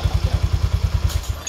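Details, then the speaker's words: Yamaha Fino 125 FI scooter at idle after replacing the rear pulley shaft gearbox bearing: even low thumping around ten beats a second, the earlier klotok-klotok knock is gone; repaired, normal running. "ya jadi seperti ini ya Jadi kalau sudah dipasang bagian ini sudah tidak terdengar kelotok-kelotok"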